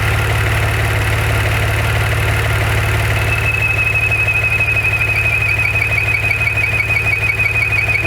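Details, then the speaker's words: Maserati Ghibli SQ4 idling after 0-60 runs: a fast, even tick and thin high whistle start a few seconds after start-up and stop when the dipstick is pulled, returning when it is replaced; owner assumes no vacuum leak, strong vacuum felt. "When I pull the dipstick, the sound goes away."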